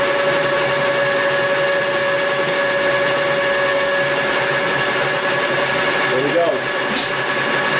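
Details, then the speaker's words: Lathe facing cut at 0.075 in depth with a CNMP negative insert with positive action: a steady motor hum whose pitch sags as the tool bites in. The lathe bogs under overload; the cut is too deep for the insert. "No. All right. So, either one of them can't handle the load."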